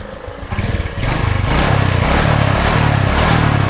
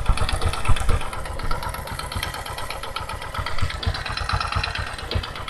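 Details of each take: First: Honda Supra 125 carburetor motorcycle after replacing piston set, con rod and clutch parts to cure rough noise and low power: engine runs with an even low pulsing beat, no knocks or rattles. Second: Carbureted first-generation Honda Supra 125 (about 2006–2007) idling roughly with a steady metallic clatter from worn piston and connecting rod; engine lacks power.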